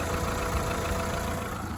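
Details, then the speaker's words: Nearly 20-year-old Volkswagen Polo salvage car, delivered on a flatbed after a flat battery, first drive: rough clattery idle with uneven low chugging and tapping that sounds like a diesel; owner thought it might be missing, cause unclear. "So it's got 4 good tyres, which is good. I ain't gonna buy any tyres. really does sound like a diesel."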